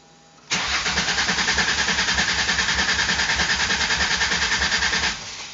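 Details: 1999 Mercury Cougar after swapping its 2.5 V6 for a 2004 Taurus 3.0 V6 with new injectors wired in: steady, even cranking at about three and a half beats a second for four seconds, never fires; cranks but won't start.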